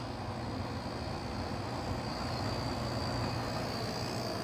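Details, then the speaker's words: 2009 GE AEW05LMS2 5200 BTU window air conditioner running with compressor on, about 4.2 amps as head pressure builds; steady even hum, low compressor drone, smooth fan rush, no rattles; nice normal running. "Um it's a nice running unit. Um if I ever get this thing installed somewhere I will do an update on it."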